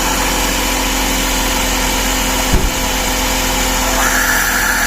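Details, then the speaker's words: Suzuki Every/Scrum engine after throttle body cleaning, idling with intake hose disconnected; steady idle buried under loud airy hiss and rush; loud intake noise, shut off to refit the hose and clip. "So yan, para hindi maingay, patay na lang muna natin para isara natin."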